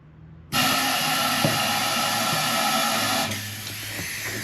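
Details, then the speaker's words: 1964 Chevrolet C30 fuel tank disconnected from the fuel system, outlet taped over, pressurized with compressed air: a loud steady hiss, then a softer hiss of air escaping through an opening at the outlet; the tank itself is solid and holds pressure. "it pressurizes the tank and then you can hear know if you can hear that pressure hissing out so uh it's all disconnected from from the fuel system so it's it's got a total total opening"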